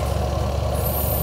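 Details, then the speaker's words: Panasonic twin-tub washing machine spin-dryer motor, previously not spinning, running after the broken lid switch was bypassed by joining its wires: smooth constant hum, no scraping; spin motor running normally. "Oke pengering di sini sudah berputar kalian bisa lihat di sini dinamonya tuh"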